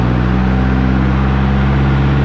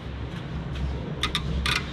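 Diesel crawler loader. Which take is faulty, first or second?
second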